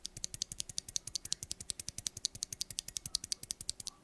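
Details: Stock Wooting Flaretech keyboard switch, unlubed and unfilmed: fast sharp clacks with a thin metallic ring after each press from spring ping and top housing wobble; lubing and filming makes it nearly silent.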